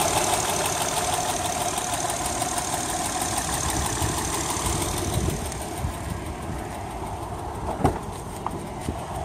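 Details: 2008 Honda Accord Coupe 3.5L V6 running with a very loud, fast, sharp ticking over the engine note, louder under throttle; cause unknown, owner has read it may need a valve adjustment.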